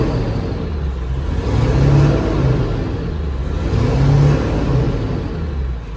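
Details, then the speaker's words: Ford F550 7.3L Powerstroke diesel, first start after no-start and scan-tool diagnosis: deep rumble surging and sagging every couple of seconds, missing on a cylinder, though much better than before; cause not confirmed. "It's definitely not running perfect, but it is running so much better than it was before."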